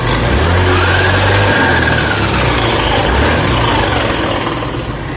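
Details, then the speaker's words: Honda Beat FI scooter with a rough, droning CVT noise and a whine rising and falling with throttle, around 60 km/h and on deceleration; teardown found the CVT rollers crushed to fragments. "Hai guys jadi seperti ini setelah kita bongkarin ini yang suara kasar ini ada di bagian rollernya ya rollernya hancur jadi lihat ini serpihan-serpihan nya"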